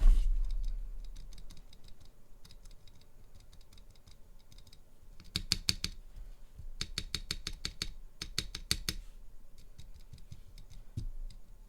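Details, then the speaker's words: Spacebar with modified Durock/Everglide stabilizer sliders, not yet lubed: crisp, even clacks with no tinny rattle after each press. There is dramatically less rattle, sounding like an original Cherry stabilizer. "so as you can tell there's dramatically less rattle so it sounds more like an og cherry stabilizer now i haven't lubed it yet either so this is even without grease and that sound good"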